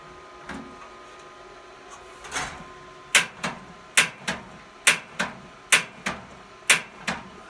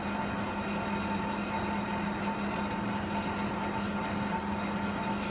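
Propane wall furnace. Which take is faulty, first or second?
first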